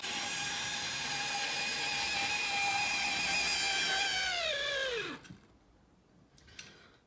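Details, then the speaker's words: Roughly 40-year-old Hornby Class 37 model locomotive after about 30 minutes of running and light oiling of the motor bogie axles; high, steady small-motor squeal falling as it winds down; lubrication did not cure the squeal. "So the loco's been running now for probably half an hour, 15 minutes in each direction. It's still as you can hear, making the noise."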